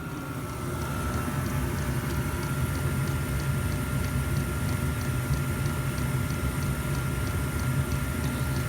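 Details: Diesel heater being fixed in freezing weather, running at power setting four after smoking on five: low steady rumble with soft regular tick about twice a second and dull thumps through exhaust; uneven combustion, cause unclear.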